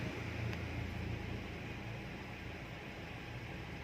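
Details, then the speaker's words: Honda Freed, scan shows no fault codes: soft, even low hum with steady fan hiss, no knocks or misses, idle stable around 700 rpm with AC off (about 750 rpm with AC on); normal idle. "normal semua RPM pun Abil di 700-an saat AC tidak menyala"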